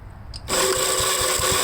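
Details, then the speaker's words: 1957 Gravely tractor, previously cranked two seconds then quit, after fitting new starter button/switch: quiet, then engine catches and settles into steady run with regular low thumps, no cranking drag; normal start and run. "what do you guys think it'll start now with the new uh starter button I'm gonna let it start I'll turn the gas on if it if it uh cranks over here"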